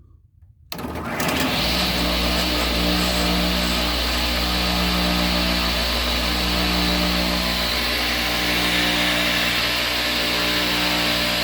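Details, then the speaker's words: Craftsman table saw driven by a flexible shaft instead of a belt, after its bearings were cleaned and reassembled; steady, even whir with a faint light tick from the flexible shaft, no grinding; normal running. "and as you can hear i clean the bearings on this one put them back together"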